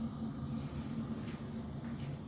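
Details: Electrolux inverter dryer TDH3497RDW; powers on but drum does not turn, only a low pump hum and fan whoosh heard, no tumbling.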